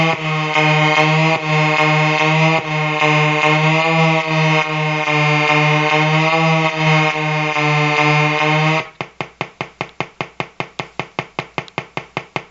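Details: Colour-changing LED bulb on 4.5–6 V DC batteries: steady low, bright-edged buzz for about nine seconds, then sharp pulses about 2.5 per second; interference circuit buzz from the bulb.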